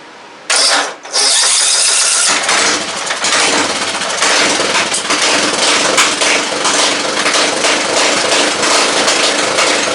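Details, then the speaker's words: 2nd-gen Craftsman LT 1000 mower with a rebuilt Briggs & Stratton 17.5 OHV engine and custom exhaust, first run with the throttle not yet hooked up. Catches after a short crank and settles into an even, quick single-cylinder putter, no misses. Runs well but still needs adjustments. "Alright, so she's a runner, just needs some adjustments. But so far, running pretty daggum good"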